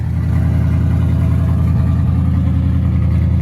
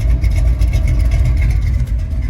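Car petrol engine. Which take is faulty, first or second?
first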